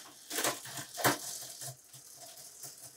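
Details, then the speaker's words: Bicycle rear derailleur shifting into middle gears during a bike check: irregular crunchy clicks and rattles as the chain fails to settle cleanly on the cog; rear derailleur needs adjustment. "that sound means that there's a little bit of trouble in the way that it's shifting so we want to make sure we keep that in mind"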